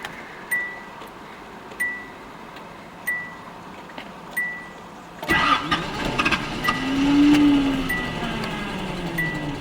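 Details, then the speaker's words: 1979 Datsun 280ZX (base model, fuel-injected inline six): the fuel pump sounds like it's struggling at key-on, then the engine runs stumbly and weak and cuts out with any throttle, as if starved of fuel; the owner suspects the injectors. "see it'll run real stumbly and weak you know for a minute or two if i give any gas at all it cuts out like it runs out of fuel"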